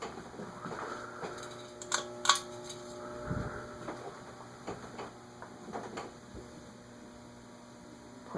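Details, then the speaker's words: Vintage Hunter Hotel Original ceiling fan model 52-H/23702, previously run without oil and freed with WD40 and oil, on solid-state speed control near 0.11 setting at start: steady low electrical buzz under faint mechanical ticks as it turns slowly; motor hum. "Looks like 0.11 is where it starts, but I hear it buzzing already."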